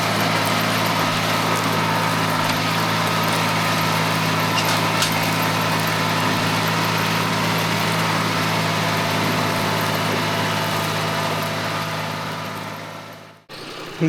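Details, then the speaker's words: Mitsubishi MT200 Japanese mini tractor, small diesel, after a full engine overhaul, plowing with a mounted plow: steady even beat under load, no knocks or misses, then cuts off; technically sound. "Оце таке трактор на ходу технічно. справний."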